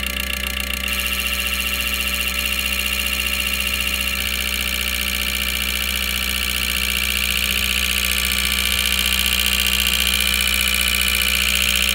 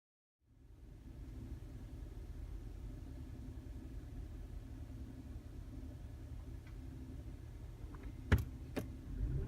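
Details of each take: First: 2012 Mazda CX-5 idling with a faint uneven stumble about every quarter second and strong hiss; scan tool shows cylinder 4 misfire, lean spark plug, carbon-clogged injector 4 found after coils and carbon cleaning failed; fixed by injectors. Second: 2012 Mazda CX-5 petrol engine after cleaning carbon-clogged cylinder 4 injector that caused misfire code: steady even low idle rumble, no stumble or misfire, two sharp clicks at end. Normal idle after repair.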